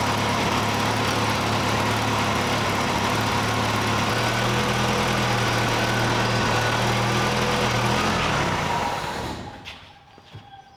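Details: 1968 Datsun 520 engine after rebuild, first runs: smooth, even idle with a steady low beat and no knocks or misses, then shut off cleanly; running like a sewing machine. Owner suspects a cracked block by the freeze plug.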